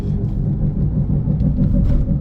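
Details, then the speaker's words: Toyota Yaris just bought to flip, driven at 40 km/h: heavy constant low rumble from one wheel, rotor-like, drowns everything; driven an hour like this, wheel problem suspected, cause not confirmed. "Sounds like a rotor. Definitely something wrong with the wheel right here. It sounds more like a rotary than my RX-7 does."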